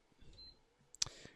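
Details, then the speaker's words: PS5 bought faulty, repaired but still crashing, being tested with a different power supply: a single short high beep then a sharp click as it switches on; normal power-on beep, crashes later blamed on the SSD, not the PSU. "turns on that's good are we on a don't tell me it's going to do the same thing"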